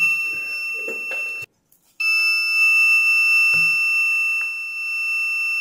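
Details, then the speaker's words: Ezion digital water level indicator meter with sensor cable disconnected: continuous high-pitched beep around 2.7 kHz and full-tank display despite no sensors; false full-tank alarm from shorted buzzer switching transistor. "ये digital water level monitor इसमें problem ये है कि जब इसको यहाँ पर connect किया जाता है पावर के साथ तो इसकी सेंसर केबल उतरी हुई है, इसके बावजूद ये बीप दे रहा है और ये फुल टैंक शो कर रहा है, जो कि नहीं करना चाहिए।"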